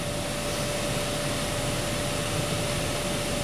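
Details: 2012 Honda Accord Special Edition after blower motor circuit repair, key on, full blast, reading about 15.5–15.8 and holding steady: steady, even rush of air with a constant faint whine, no rubbing or ticking; blower healthy, fix confirmed.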